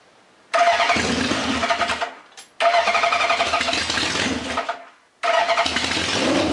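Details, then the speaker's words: Honda CB750 four-cylinder after full carburetor rebuild, plug boots corrected, fuel connected, no carb leaks: three short bursts of firing and revving with quiet gaps on full choke; normal cold start. "Um, let's just hit full choke, crank it, see what happens."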